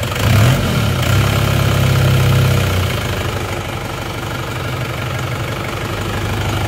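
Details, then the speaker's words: Isuzu Panther diesel with severe blow-by, before repair, idling: lumpy, hunting idle with a heavy low chuff; pulling the dipstick gives an immediate pressurised smoke jet. "Sudah langsung ada asapnya ya. Jadi tidak perlu nunggu mana aja, langsung ada semburan bertekanan."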